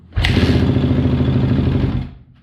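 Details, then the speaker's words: Kawasaki KX250F just after carb cleaning (pilot jet A45), on choke: it fires for about two seconds with rapid light clicking over rough firing. Cause unclear; owner hopes something is loose, and cam timing looked one tooth off on the intake. "I hear that clicking yeah what is that I don't know I'm hoping of something loose whatever it is is not good"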